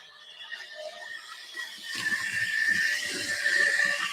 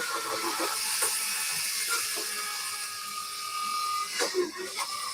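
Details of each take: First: Newer model railway locomotive squealing heavily while running: a thin, steady high-pitched squeal over faint ticking. The owner suspects the non-brass (plastic or alloy) drive cogs and plans to replace them with brass ones. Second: Model railway locomotive after a no-cost fix with copper clamp refitted, on track: light even motor whirr with faint gear chatter and hiss; still slightly noisy but far quieter than before.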